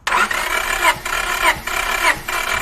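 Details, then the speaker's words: Engine that cranks but won't start, compression test with accelerator floored: even starter cranking with strong regular pulses; cylinders read 170, 170, 160 and 170 psi, healthy compression. "so you can see we have have about 170 PSI which is really good but that doesn't mean the other cylinders are good so let's test each one out"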